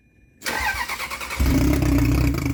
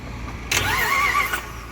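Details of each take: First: Salvage Ferrari 360 Spider test fire after the transmission was refitted: starter catches within a second and the engine settles into a steady, even idle with no knocks or misses; everything worked as it should. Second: Auction-bought Jeep Grand Cherokee 4x4 trade-in, jumped from dead battery: about a second of starter cranking that never catches; code reader found nothing, possibly due to the weak battery; crank no start.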